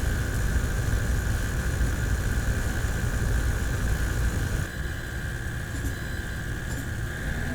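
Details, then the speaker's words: Dell G5 5000 / XPS 8940 prebuilt desktop, stock CPU cooler fan at low rpm: steady low whir with a thin constant high-pitched whine; noisy ball bearing. "fan for some reason the ball bearing in it is just very noisy especially at low rpm so the actual fan isn't very loud"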